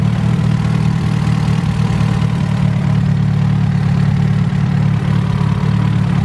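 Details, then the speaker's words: Car on the dyno with a newly fitted distributor and a GTX3582 turbo, distributor advanced to match ECU timing and locked down: steady, even idle with a smooth low rumble, no misses or knocks; normal idle. "he turns it he advances it to match the ECU we lock it down everything matches"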